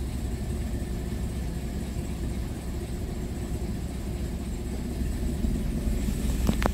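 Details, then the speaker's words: Hyundai Getz lacking power, misfiring and noisy: rough uneven idle with irregular knocking; crankshaft timing sprocket loose with large play because the crank center bolt was not tightened; compression 120–130 psi, passing. "So katulad nito ang laki na ng play niya. Tapos issue ng makina ah pag umandar na malagatok."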